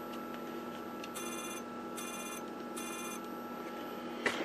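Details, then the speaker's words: GE 21C3461 set, volume-down pressed: reed relay second from the right buzzes but never trips; coil shows continuity but supply voltage below the roughly 10 V expected. "so you hear that buzzing I push volume down that is the actual read relay second from the right vibrating but it's not tripping the [Music] relay"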